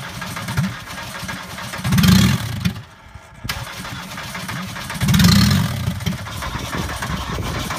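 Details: 1985 VW Golf diesel with a no-start problem: two bursts of slow starter cranking about three seconds apart, but the engine never catches. It cranks but won't start.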